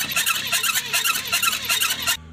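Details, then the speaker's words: Replacement 474 engine in a Changan double-cab truck that ran about 40 km, then began noising and won't start. A shrill squeal pulses about six times a second while cranking because there is no oil at the top: dry-running valvetrain from oil starvation to the cylinder head. "着好像就是没上机油的声音。哇塞，这发动机怎么回事了？"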